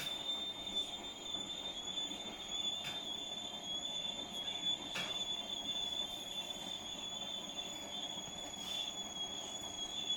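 A thin, constant high-pitched squeal rides over a faint rumble for the whole stretch; the source of the squeak is unclear.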